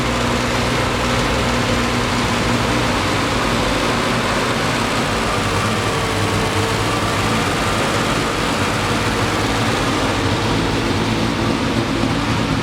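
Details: 1973 Triumph TR6 restoration, first start in 2 years: loud, busy idle with slightly uneven, lumpy exhaust beat; rough running, owner thinks ignition too far advanced, also hears clicking.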